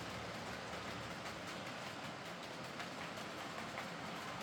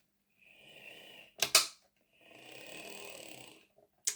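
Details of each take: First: Heljan Class 23 model loco on track after split gears replaced with 3D-printed ones: steady even motor whir with light rail clatter, no kicking or jerking; runs smoothly, remaining issue suspected from motor mounting or drive shafts. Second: Heljan Class 23 model locomotive that ran slow and clunky, with a 3D-printed gearbox gear: short bursts of thin, buzzy high whir with clicks between runs, rough and uneven; motor centering suspected, printed gear possibly imprecise.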